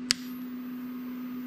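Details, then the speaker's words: Computer power supply that squealed and smoked, something melted inside: steady high-pitched electrical whine after one sharp tick, failing PSU singing before it gives out; to be replaced. "it's so high pitched yeah so that's bad so i'm going to be replacing it"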